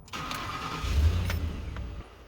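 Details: 2009 Ford F150 5.4 V8 with 204k miles and cam phaser trouble, started after switching to 15W-40 oil with Lucas oil stabilizer: short crank, then a smooth low idle with no cam phaser clicking or rattle; normal start.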